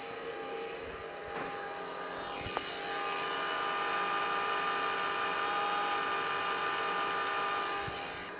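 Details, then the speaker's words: Gas 1993 Ford F700 dump truck, a ran-when-parked truck, key on with engine off: a steady high electric whine for several seconds as the brake pump runs, normal operation. "all right let's first just turn the key on and then see what these brakes [Music] do I think I can hear the pump"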